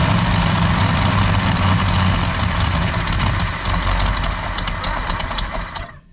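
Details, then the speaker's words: 1965 Ford Galaxie 500 V8, first start after sitting for years, carburetor with missing parts, possibly flooded: lumpy, stumbling, shaky idle before dying; running rough. "Let me see if I can get it to idle. One more time, y'all. I want to hear this old rascal idle."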